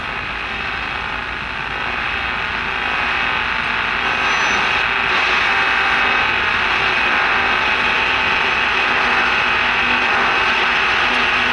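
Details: Sylvania All American Five AM tube radio during alignment: steady hiss with a fast, fairly even ratcheting crackle about four per second over the station; outside interference, source unknown.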